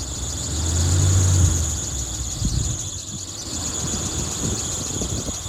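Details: 1981 Chevrolet C1500 with a freshly rebuilt engine, new lifters and a big cam, just out of winter storage: a constant shrill belt squeal over the idle that never lets up, from the belt slipping on a misaligned power steering pulley.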